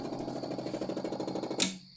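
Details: 5.7 HEMI setup energized through master switch with engine torn down: quiet, fast buzzing pulses at a steady rate ending in a click; electric fuel pump running normally.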